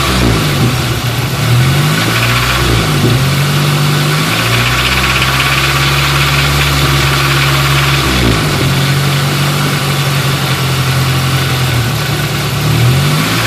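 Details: 1989 Nissan 240SX: fine at idle, but a metallic rattle appears above 2500 rpm, seemingly from the front cover. The owner suspects the tensioner, timing chain or internals.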